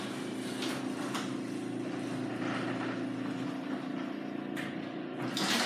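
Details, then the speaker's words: Garage door after oiling and lubricating; smooth, even opener hum with no squeaks or roller grinding; quiet garage door operation. "We have oiled it and lubricated it, and it sounds better."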